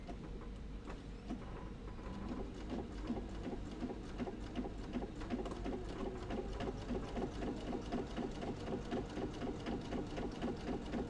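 Steady, even needle chatter at a constant sewing pace, no knocking or grinding, just a sewing machine stitching normally.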